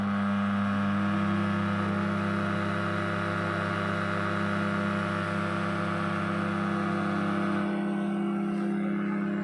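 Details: Brand-new Dawlance microwave making a loud constant low hum with a buzzing edge while heating milk; abnormal, owner unsure whether motor, fan or transformer, source unconfirmed.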